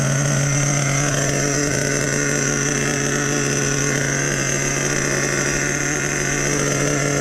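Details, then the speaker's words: Nitro RC truck with OS No. 8 glow plug, just fired up after priming and idle turned up half a turn: steady even buzzing idle, constant pitch, no stumbles or surging. "Fired right up, boys. Fired right up."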